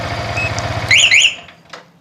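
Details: Yamaha Vixion R with newly installed plug-and-play alarm, engine started with key: single-cylinder idle, two sharp alarm chirps, then engine dies within a second when cut by remote; anti-theft engine cut works.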